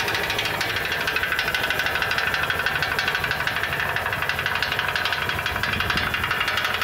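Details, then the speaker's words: 2006 Ford E350 recorded under the vehicle at idle: uneven metallic knocking and rattling that comes and goes, at times like rod knock. It sounds like it comes from the right-hand catalytic converter, upper or lower section unclear. "It sounded like the right-hand catalytic converter. I don't know if it was the upper one or the lower section of that."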